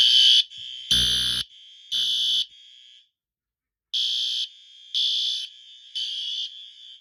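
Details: Fire alarm system in a shed, with the smoke detector triggered with a nail for the system test: a loud, high-pitched tone in half-second bursts about once a second. The fire alarm sounds properly.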